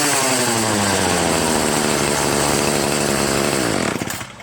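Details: Free Troy-Bilt TB70SS 33cc two-stroke weed trimmer, unused 3 years, on a cold 37°F day, after high/low carburetor mixture screw adjustment cured bogging at high throttle: revs high with clean, steady buzz, no stumbling, winds down smoothly.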